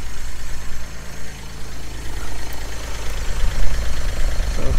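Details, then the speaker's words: GMC Acadia SLE AWD 3.6L, 175,000 miles, at idle: low uneven rumble with a puffing chuff from exhaust escaping through holes in the pipe; exhaust leak. "The exhaust leak is on this side."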